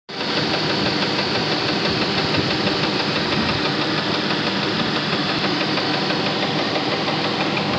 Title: Knocking Sound - 1999 Jeep Grand Cherokee Laredo